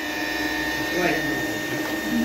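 Steady high motor whine with airy rush and a slightly strained note, consistent with a dirt-loaded filter choking the airflow.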